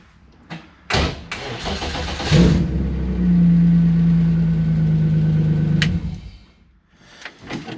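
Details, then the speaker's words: Early-1990s BMW E36 325is, sat about seven months, running its own red-label 413 DME before ECU swap testing: short crank, catches first try and settles into steady smooth idle. "all right so it starts initially so now i'm gonna swap the other ecu's in"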